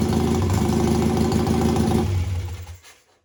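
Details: BSA twin home-built chopper, stationary rev test of each cylinder via its own carburetor slide and then both. It revs crisply at an even beat, then shuts off cleanly: both cylinders pulling normally.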